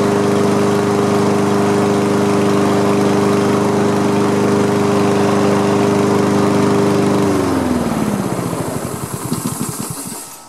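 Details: Free Honda HRM215 lawn mower after repairs to clogged fuel line, carburetor and pull-rope assembly, run to test the rear-wheel drive: engine runs smooth and even with a steady hum, no misses or surging, then shuts off and coasts down; healthy.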